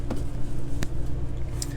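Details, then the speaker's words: 2007 first-generation Honda Pilot, front wheel off, sway bar rocked by hand giving sharp hollow clunks over a low hum; it clunks over small bumps: worn front sway bar end links and bushings. "the front and usually it's on those little bumps uh many small bumps you can hear that clunking and as I've shown you in the previous video um the you know the the sway bar when I when I shake it the end links are making sound and also the bushings"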